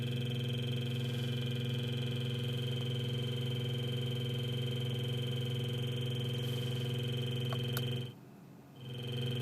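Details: Car radio after replacement: steady low electrical buzz with high whistle on AM and FM, cuts out briefly then returns; turning off and on at the button changes nothing.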